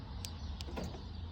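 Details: 2006 Land Rover LR3 tested after repairing its aftermarket remote fob: a few quick crisp clicks from the door locks over a quiet background. Locks actuate cleanly, central locking works normally again.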